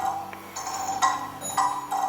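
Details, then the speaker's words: Kieninger longcase clock movement on a test stand with new suspension spring, beat amplifier on; ticks unevenly spaced, lopsided beat, out of beat as the pendulum jumps with the crutch hitting a pin. "and you can hear how out of be it is so the first thing we notice is that the pendulum is jumping at the"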